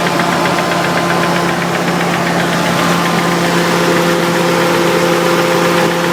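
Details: Nissan 300ZX with bottom-end rebuild three years ago: faint, loosely timed knock about twice a second at steady idle, appeared after short vigorous motorway run; no oil blowing, runs evenly, revs freely; owner suspects oil pump as pressure gauge reads erratic.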